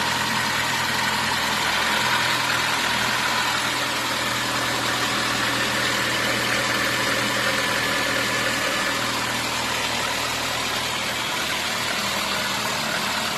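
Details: VAZ 2115 after piston-knock repair (cylinder block bored, new pistons and rings): quiet, even idle with a light steady hum and no knocking or tapping; engine running smoothly.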